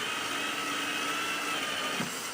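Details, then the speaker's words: Drill driving a Camo screw into Trex composite decking with the Camo Marksman tool: steady high-pitched whine, then a soft thump as the screw hits the depth stop and disengages from the bit. Screw fully seated. "Now when it gets to the end and you hit that stop, it's going to keep screwing that screw in and until it no longer engages with the bit, and you'll hear kind of a little thump."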